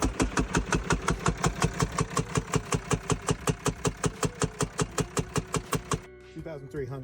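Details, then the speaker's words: 2024 Ram pickup idling after about 10 minutes of warm-up; a sharp, steady rhythmic knock of about three beats a second started over the engine. "Customer was letting their 2024 Ram warm up and after 10 minutes, this noise started up."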